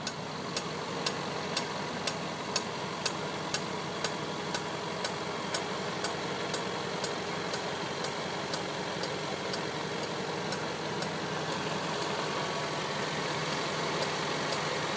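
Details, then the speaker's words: 2010 Range Rover Sport Supercharged 5.0L V8, warm idle with sharp regular knocks about two a second from front of engine; only at running temperature, owner suspects belt-driven clutch fan hitting something. "so the knocking is coming from under the hood near the front."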